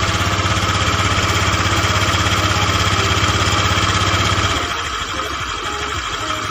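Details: Honda Vario 125 fuel-injected scooter after radiator coolant-spray fix, warm: even, steady idle pulsing at a regular beat, settling quieter; smooth running with no knocks, healthy engine.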